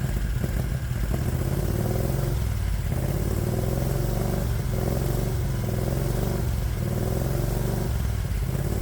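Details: 1969 Renault R10 with a 670cc Predator V-twin, cold start after winter, cooling fan off: slow, lumpy idle with deep uneven beats near stalling; idle sounds too low, owner says it does this when cold.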